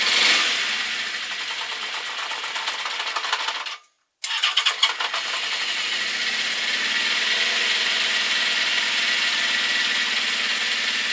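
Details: Honda CB650 Custom four-cylinder at idle after warm-up: light quick ticking about three a second over the idle, with slight backfiring; owner suspects valves on cylinders 3 and 4, possibly clutch or cam chain area, unconfirmed.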